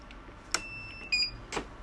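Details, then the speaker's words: Birch CPQ3 receipt printer running a test page at power-on: short snaps and a brief high whirring strain, then stopping, as the cutter motor strains against a jammed, bent blade; cutter jam. "Turn it on, try the test page. You can hear the kata trying to kaba."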